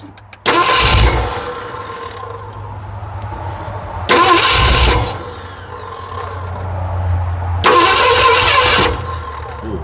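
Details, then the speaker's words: 1969 Ford F100 cranking in bursts a few seconds apart, catching a few ragged firings then dying; misfires and will not start while ignition timing is being adjusted and a gear is suspected; a plug is suspected. "And the fact that we're getting it to actually fire a little bit more. Try it. We're getting somewhere."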